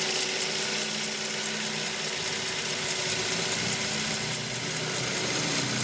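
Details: 2004 Mazda 3: a sharp, high squeak repeating about four to five times a second over a steady engine idle.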